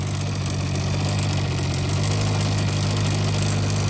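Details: 1985 Honda Spree two-stroke scooter with carbs swapped and cleaned and fuel lines replaced: a flat, muffled drone at full throttle that won't rev up, no power; bogging later traced to a plugged-up muffler.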